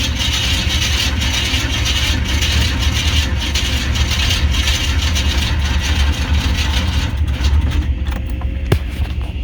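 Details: 1995 Chevy C1500 Silverado with swapped 350 TBI, battery jumped: starter cranks steadily nearly ten seconds with no firing; no start from no spark, traced to missing distributor cap carbon button.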